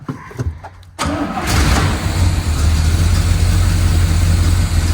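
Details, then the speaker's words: 1972 Corvette barn find with a 454 LS5 big block; it catches into a lumpy, uneven, rocking idle and dies when given gas, with flame seen from the exhaust; ignition timing and the mechanical distributor are suspected. "And it's not idling too bad. But when I give her gas, she'll die out."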